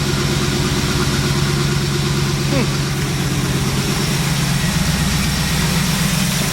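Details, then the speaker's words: 1989 Trans Am V8 idling on first start after 5-6 years sitting, new spark plugs fitted: uneven, lumpy beat with a stumble on one cylinder, a dead cylinder from a spark plug wire left off. "You know why it's missing? Hear that? I forgot to hook up that spark plug wire."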